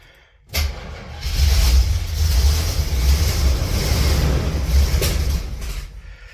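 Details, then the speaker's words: 1977 Oldsmobile after sitting six months over winter, gas poured down the carburetor, starter had seemed stuck: catches quickly, settles into a deep steady rumble; fires and runs. "I just turned the key and she fired up."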